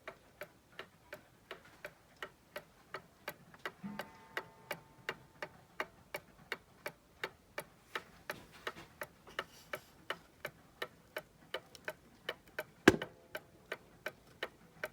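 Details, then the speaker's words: Circa-1875 Seth Thomas pendulum clock, movement just reinstalled with no dial, on a fairly level table in a quiet room: crisp ticks about two per second with matching tick and tock. It runs in beat without bending the crutch. "Man, that thing sounds good. Tuned up already. I didn't even have to bend the crutch or anything."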